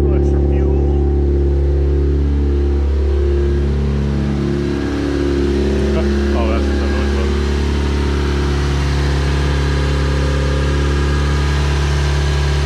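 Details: Turbo 1.6 Miata, first start after maintenance, idling while warming up so the coolant gets drawn into the block once hot. Steady, even low engine note, smooth running, no knocks or misses: normal warm-up idle.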